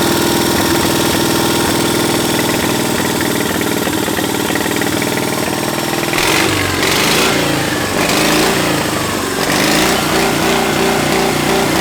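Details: 700cc twin-cylinder military standard engine built 1987, long-stored and possibly never run, repeat start after dirt dauber spat from exhaust: steady, even idle with regular firing beat, no knocks or misses; runs healthy.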